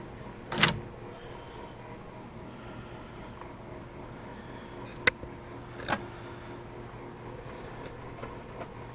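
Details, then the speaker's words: VCR after cleaning the heads: quiet room, sharp thunk as the cassette goes in, then a few soft mechanism clicks as it loads without struggling; tape accepted right away. "good sign that accepted the tape right away"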